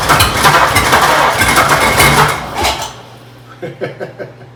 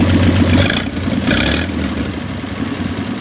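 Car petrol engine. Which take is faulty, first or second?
first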